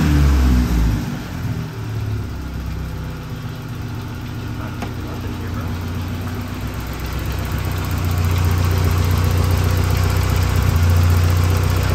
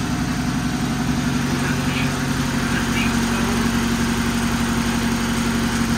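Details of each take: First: Saab 900 after fixing vacuum leaks and high idle: low steady idle about 900–950 rpm (previously about 1500), faint occasional stumble. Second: Saab 900 after cleaning the idle air control valve, with vacuum leaks: petrol engine idling fast and steady around 1000 rpm, creeping toward 1200–1500; cause thought to be throttle plate/sensor set too far open.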